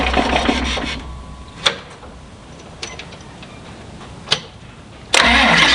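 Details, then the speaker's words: John Deere 2955 tractor diesel after installing gear reduction high-torque starter to overcome slow cranking from a loaded hydraulic pump; steering wheel not turned: brisk, even, non-dragging cranking, quick catch, steady run; normal fast cranking and start. "i call that a success the first two starts you heard i was not turning the wheel that little starter is powering right through the pump and starts up like the other starter does when it's warm"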